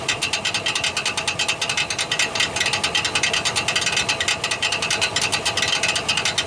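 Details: 1999 Chevrolet Silverado 1500 4.8 4WD cranking: fast rough metallic clatter with no catch; starter Bendix drive shaft bad, gear bouncing off the flywheel instead of engaging.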